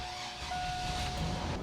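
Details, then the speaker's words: 2002 GMC Safari AWD after new steering gear, fluid filter and hardlines, van on lift: thin steady high whine over rough churning pump hum, aerated power steering fluid, likely after reservoir accidentally ran empty; bubbles bleeding out. "I think we accidentally ran the reservoir empty for a little bit, which is terrible."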